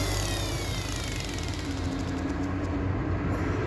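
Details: Brushed (carbon-brush) 8-pin motor after swapping connections to reverse it, now turning counterclockwise: steady hum with a low rumble underneath and an even, unbroken run. Normal running.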